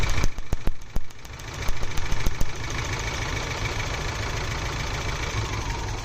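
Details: Geo Tracker engine shaking at idle with uneven, irregular low thumps and a few sharp snaps; misfire, suspected spark leak in ignition wires, cause not confirmed.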